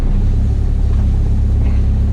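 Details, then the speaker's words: Ford Focus ST170 track car idling after the steering rack was fixed and refitted; fluid seems low and there seems to be some air in the pipe. A steady low rumble with no pump howl or whine, unlike its usual howl after running dry. The power steering pump sounds normal. "That's going to be normal. Let's the pump is not howling like it usually does after it's been dry."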